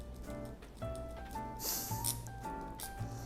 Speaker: so this quick release is cool but it also comes in a bit flimsy or redly not too sure if you can hear how loud the rattling is let me just stop talking